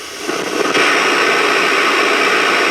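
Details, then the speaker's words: Transistor radio receiver under repair, heard through an ultra probe at the oscillator transistor's collector: a steady, even hiss with a faint constant tone, showing the oscillator is running normally. "That's the oscillator running."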